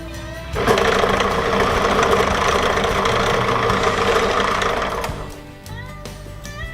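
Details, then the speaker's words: Wood lathe switched on briefly to check the balance of a freshly mounted blank for a small mallet: steady, even motor hum for about four seconds with no thump or wobble, then it winds down. The blank runs true and is balanced. "then after that I just like to turn it on briefly I'm not gonna turn you out just turn out briefly to see how well it's balanced on here"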